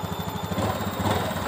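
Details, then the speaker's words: Honda Beat fuel-injected scooter with idle trouble: idle screw turned out to raise idle to roughly 1300–1500 rpm, recommended for automatic scooters; small single-cylinder putters steadily at a fast, smooth raised idle. "kalau motor matic itu yang bagus agak besar emang dari sana dianjurkan sekitar 1500 kurang lebihnya"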